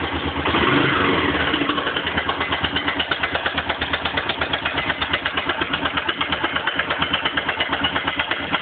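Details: Suzuki DR 750 single-cylinder idling cold: sharp, steady tap riding on each firing pulse from the top end; the knock quietens and disappears once the engine warms up.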